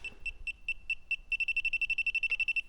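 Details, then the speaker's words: A/C refrigerant leak detector (sniffer) calibration test near an open can, beeper covered: high thin beep pulsing, quickening to rapid chirp near the gas, confirming the sniffer is sensitive and working. "so you hear that I just there's a little bit of stuff so this thing is very sensitive and it works"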